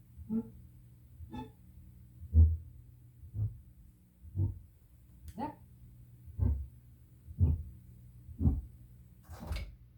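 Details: Prerecorded cassette at normal listening volume: low, dull thumps repeating about once a second under quiet playback, spoke noise from improper bulk erasure of the tape.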